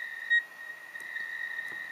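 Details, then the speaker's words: 40 m Rockmite clone CW transceiver tuned to 7.025 MHz: holding the key gives only short single beeps instead of a continuous tone. Owner suspects the control chip was damaged, since the key inputs connect straight to it without buffering. "Now, if I apply that short, if you hear it, it just gives me that one beep."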